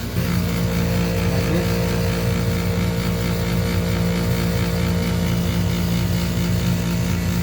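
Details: Household furnace running: steady droning hum with a constant low tone over a rough, unchanging rumbling undertone; worn inducer motor bearing.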